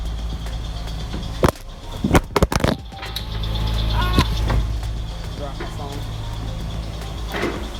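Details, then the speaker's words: 2002 Honda Odyssey on first start after valve cover gasket replacement and welding in a new catalytic converter (the old one was stolen) with the O2 sensor refitted: a few clunks, then a steady quiet idle. A belt squeak and smoke from parts heating are noted. "besides the belt squeaking and the smoke from you know everything heating up she sound quiet again sounds like she's supposed to be sounding"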